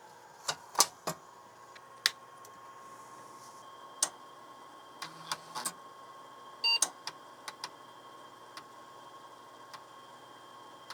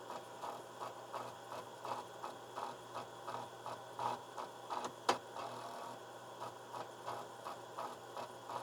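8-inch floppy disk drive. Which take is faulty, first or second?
second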